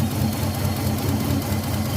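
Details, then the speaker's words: Older Nissan Maxima at idle: lumpy uneven idle with heavy low shake and dropped beats; two ignition coils not firing, no signal from the ECU, traced to a failed ECU ignition driver chip. "अभी check करते हैं की दूसरा वाला जो कम नहीं कर रहा है उतना किले को चेक करते [संगीत] हैं जो कम नहीं कर रहे हैं"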